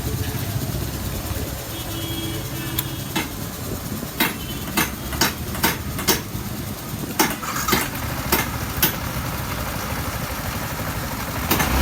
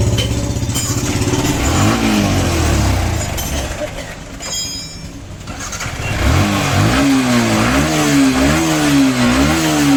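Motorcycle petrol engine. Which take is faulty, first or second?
second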